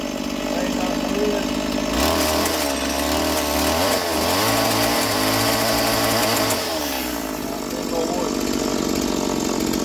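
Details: Roadside-find Stihl MS170 chainsaw, first start with an uncleaned, dirty carburettor: two-stroke screams up to full revs and holds steady through the cut, then drops back to idle cleanly; runs well.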